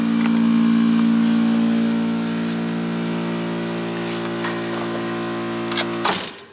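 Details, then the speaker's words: 50-year-old Trane AC unit after pushing a reset on a control part. A steady low compressor hum with no condenser fan whoosh before shutdown; the fan did not kick in, fan capacitor checked next. "Nothing's running. The compressor sounds like it's running, but the fan's not running. The fan didn't kick in."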